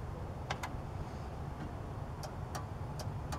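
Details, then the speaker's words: Riding lawn mower starting troubleshooting with the mower taken out of neutral; the safety switch clicks and the starter relay can be heard engaging in sharp dry clicks over a low hum, so this switch is good. "do you hear the difference in sound that switch is good because you can hear the relay okay"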